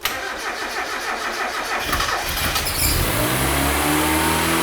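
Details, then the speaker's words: Mazda MX-5 turbo, first start after over three months off the road: starter cranks about three seconds, then the engine catches cleanly and idles evenly on four cylinders, where it previously ran on three; normal start and idle. "Yes sounds good sounds good right that sounds good we are running on four cylinders before we were running on three cylinders"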